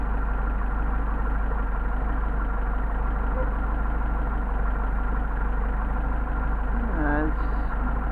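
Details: Mercedes 190SL with rebuilt Solex carburetors on test, idle mixture screws adjusted, about 600 rpm: smooth even low idle with no misses or hunting; mixture sounds set right and engine runs steadily.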